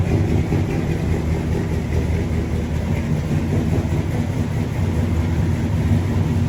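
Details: Normal idle of a big-block V8 in a squarebody truck ("Brown Bear"), started after a possible dead battery. A deep, steady low rumble with an even lope and no knocks or ticks; it sounds awful good.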